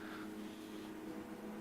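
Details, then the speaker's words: HP 1652B logic analyzer floppy drive loading files from the system disk after power-on self-test: steady low whir with faint stepping ticks as it spins and seeks; normal loading. "so it's loading the files now the disk drives whirring away"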